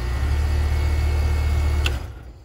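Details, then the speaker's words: Air conditioning compressor start-up with a 5-2-1 Compressor Saver hard start kit; strong low hum for about two seconds, startup current about 23 amps then dropping to normal, normal start. "so you saw the amperage went up to about 23 amps on startup and then drops down to a normal"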